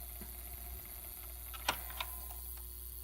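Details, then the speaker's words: Original PlayStation 1 before repair of a loose I/O board capacitor causing an arcing hiss: quiet steady hum with light clicks as the disc spins up, drive and laser working; normal disc drive spin-up. "let's throw this can here to show you that it actually spins up everything else is operational"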